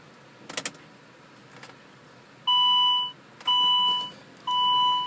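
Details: Car (T8 ECU) that won't start after an attempted ECU software update: a few clicks, then three even high beeps about one per second, no cranking. Cause suspected, not confirmed.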